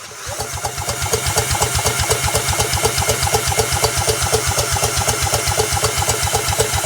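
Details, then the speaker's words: 1930s two-stroke mower engine spun by a drill with a spark lead held to the cylinder block: an even churn of about four beats a second with a hiss, never firing. Cranks but no spark, no start. "Nothing. So, we don't have a spark anywhere this way."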